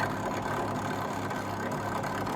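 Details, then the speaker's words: Fagor Innovation FUS 6116 IT integrated washer dryer during drying test after refitting element connectors: loud, steady rushing whirr with a roughness repeating about three times a second; the drying fan sounds terrible. "You can hear that fan, it sounds just crazy."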